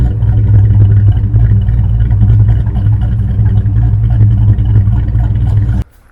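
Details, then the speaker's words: Ford SVO after cutting the H-pipe and fitting new flanges: loud deep engine run with uneven chuffing puff three or four times a second; exhaust leak at the H-pipe still present, spider patch applied. "okay this is the best i could do about that exhaust leak on this svo so it's gonna have to do"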